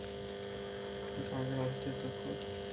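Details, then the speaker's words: Home theater amplifier powered on with no input and no Bluetooth, display board disconnected: steady low hum with faint whine that stays the same regardless of volume, and it muffles sound when playing; cause not yet found. "গা গা করে চিঁ করে একটা আওয়াজ আসছে, ঠিক আছে। Volume বাড়লেও সে আওয়াজটা যে বাড়ছে তা নয়, ভলিউম কমালেও সে আওয়াজটা কিন্তু একই থেকে যাচ্ছে।"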